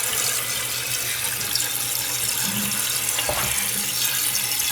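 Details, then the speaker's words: Toilet tank refilling after a Fluidmaster 502 universal adjustable flapper was installed to replace one eaten by chlorine cleaners; steady hiss of water filling with no gurgle or trickle change, water not going down the drain, so the new flapper is sealing. "it's just going to fill up. You want to make sure that the water is filling up and not going down the drain. So that means your flapper is sealing."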